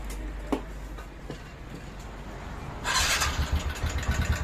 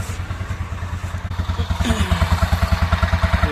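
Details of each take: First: 2019 TVS Ntorq scooter that burns oil quickly and smokes, idling then revved after starting: loud rapid clatter about three beats a second, growing with revs; worn piston and timing chain noise. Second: 2019 TVS Ntorq scooter idling after engine rebuild with new piston, rings and timing chain set, refitted to body: even, steady putter with regular firing pulses, no knock or chain rattle, much quieter than before; normal idle.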